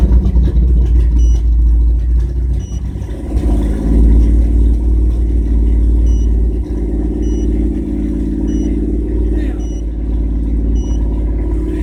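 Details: 1997 GMC Jimmy held around 2000 rpm while reading live data: deep exhaust drone stumbling unevenly every few beats; engine misfire, cause unclear.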